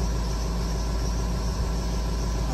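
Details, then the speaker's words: Rebuilt 6.0 Powerstroke F550 that suddenly died, idling after IPR work with ICP pressure now above the initial 755: a loud, steady, even drone with no stumbling. It smokes a lot; owner suspects a stuck injector. "i'm just going to let her idle you can see she's smoking a lot um i probably do have a stuck injector most likely um not a big deal but everything looks good"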